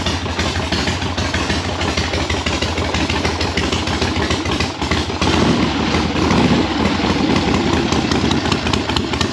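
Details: 1976 Harley-Davidson Ironhead Liberty Edition V-twin under rebuild, halfway warm after first start with idle set screw readjusted: loud uneven idle with irregular loping beats about once a second, not settling; rough unstable idle.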